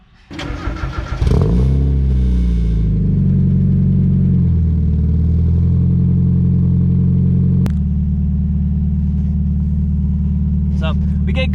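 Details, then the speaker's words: 1990 Mazda Miata cold start: brief crank, catches cleanly, smooth even idle with oil pressure near 60; no ticking or knocking in the engine bay; small exhaust leak noted. "pressure it's on a cold start usually i started up like a little while ago so she usually goes actually almost to almost 60 usually on cool start no noise in the engine bay as i know of"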